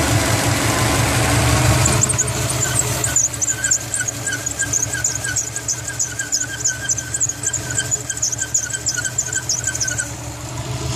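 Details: 2004 WRX STi with belts under a year old, steering stuttering on sharp low-speed turns: sharp high squeal chirping about three times a second over the running engine, an accessory belt slipping, suspected at the power steering pump.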